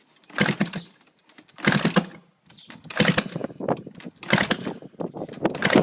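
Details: Gas Gas 250, exhaust off: repeated kick attempts about a second apart, each giving a brief sputtering pop that dies away; nearly fires but never runs, engine fails to start.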